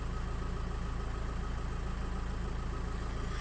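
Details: 2005 VW 2.0 TDI PD, BKD engine, no DPF, nearly at full operating temperature, with EGR and measuring blocks checked: steady, even diesel clatter at idle, about three and a half firing pulses a second, no misses or hunting, no smoke; normal diesel idle.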